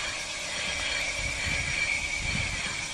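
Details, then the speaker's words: BMW E39 EV conversion, engine removed, electric motor on 12 V battery via quick wire, driveshaft connected, rear wheels turning: even high whine holding steady pitch over low rumble as the motor spins up; normal electric drive run. "so i just got a quick wire on here ah go on you can hear the motor is spinning up and our trusty"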